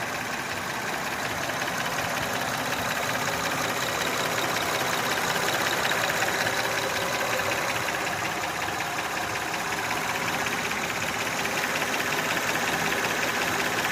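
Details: Honda Odyssey idling with a loud steady knock, about two to three beats a second, that began about 3 years ago and keeps getting louder; owner may try adjusting the valves, cause unknown.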